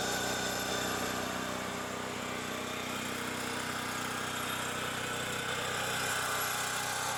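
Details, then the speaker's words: Champion generator with fresh premium gas, left running to empty fuel for storage: even, smooth buzz at steady speed with no misses, surging or knocks; running normally. "there it goes what the hell that sounds like a big ass plane though"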